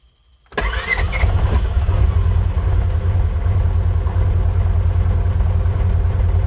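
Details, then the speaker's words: 2016 Polaris Ranger 900 XP, previously crank-no-start, after throttle body cleaning, new spark plugs and fresh fuel: brief crank, fires at once and drops into a smooth, steady low idle. Normal start. "Okay, I liked that. That was pretty good. Just make sure that wasn't just an accident."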